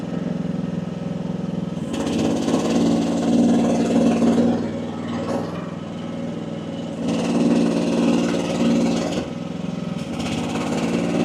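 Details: AGT WH12R 1-ton Chinese mini excavator digging, relief pressure at about 2300 PSI: diesel holds steady, easing and recovering with each pull without stalling; owner feels setting is optimal.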